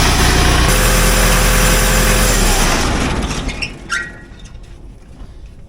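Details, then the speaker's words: 1975 Case 580B loader backhoe, before overdue service: steady mid-pitched whining, scratching noise over the diesel, felt on the transmission suction line, fading at shutdown; transmission pump cavitation. "do you guys hear that like grining noise listen as I give it some water it's almost like a whining scratching noise it's like a cavitation and I can feel it right on this line here"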